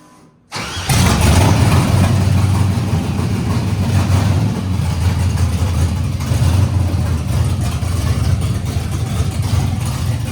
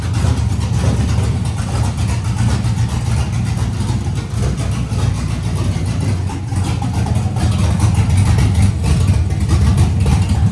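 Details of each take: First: LS-swapped Nissan D21 Hardbody, junkyard LS V8 with Summit cam and truck intake, fuel leak present: cranks and catches then lumpy, uneven loping idle; running on seven cylinders, one cylinder dead. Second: LS-swapped Nissan D21 Hardbody, LS V8, no radiator hoses yet, brief run: choppy cammed V8 lope idling steadily with no misfire; runs well.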